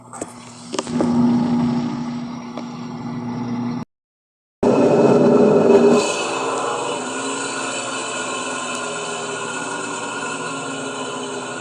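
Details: Electrolux LES11 washing machine during spin cycle: steady loud roar with a droning low hum and no clear knocking; drive motor much noisier than it should be.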